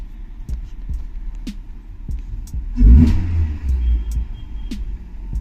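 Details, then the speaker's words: Maruti Suzuki Ertiga factory CNG car after replacing spark plugs and coil to fix misfire: quiet idle with light ticking, then a clean throttle blip rising and falling without stumbling; normal revving. "CNG में आने के बाद में accident करके आपको दिखा देता हूं की किस तरह से ये परफेक्ट कम कर रही है स्मूथली चलेगी पिकअप भी कंप्लीट आएगा"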